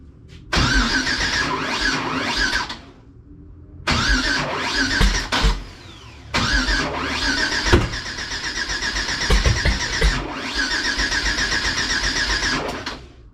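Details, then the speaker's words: Engine after head work and new injectors with a new tune, ignition harness odd/even swap corrected: starter cranks evenly in three bursts but the engine never fires, though it runs on starting fluid; crank no start. "Something's not right. Ugh. Well, what's not right? Well, I solved the first problem. I had the ignition harness swapped odd and even because the labels are worn off, and I guess I just swapped them. So I went to fire Klaus, still not firing, but we'll start up on starting fluid."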